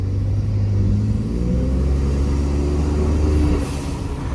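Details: 2020 Ford F-150 EcoBoost with turbo silencers (vortex attenuators) reinstalled; deep even drone pulling steadily under load with no whoosh or flutter, intake earlier had turbulence sound with them removed; turbos now sound clean and healthy.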